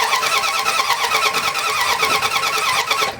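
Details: Dodge Ram/Dakota 3.9/5.2/5.9 gas engine, crank no-start: steady, even cranking for over three seconds, never firing. Coil output and coil wire show spark, so the distributor is the suspected component; not confirmed.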